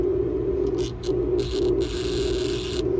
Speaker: hear that buzzing that's uh that's the deferrite is saturating with all that current flow through this cable